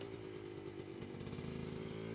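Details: Pit360 two-stroke bike with Lectron carb, lugging: uneven rattly pulse on exhaust note; severe piston slap from badly worn piston, leans out when warm.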